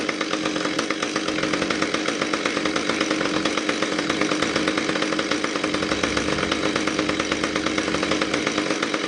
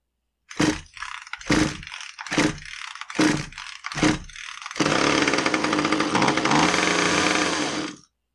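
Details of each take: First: Husqvarna T435 top-handle chainsaw, after repair of anti-vibration springs that had stretched beyond their limits and caused a won't-start, won't-stay-running complaint. Steady high-pitched buzz at constant high revs, even rapid firing with no stumbles or surges; it runs normally. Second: Husqvarna T435 top-handle chainsaw, won't stay running, good fuel, clean cylinder, good air filter: five pull-start pops, then ragged boggy running for three seconds before dying on its own; stalling from an intake air leak, intake boot suspected.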